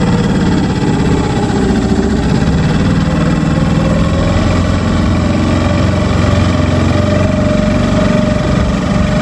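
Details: New Hangkai 6.5 hp four-stroke outboard on a 10-foot jon boat: steady, even drone at constant speed under load, no misses, knocks or rattles; running healthy.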